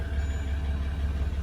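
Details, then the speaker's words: 2014 Jeep Grand Cherokee WK2 diesel, start-up after replacing the transfer case control module that had caused seconds of knocking underneath mid-car and clunky second gear: deep steady drone with no knocking; normal, healthy idle. "we'll put the battery back on and start it up and see if that noise is gone okay start it up and the noise is gone"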